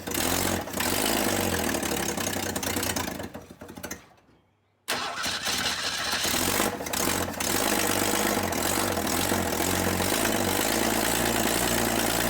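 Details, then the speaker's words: 1962 Ford Falcon, just revived after 25 years: the engine runs, cuts out briefly, then restarts to a raspy, puffing idle with a sharp edge from an exhaust leak. "they can either fix that exhaust leak"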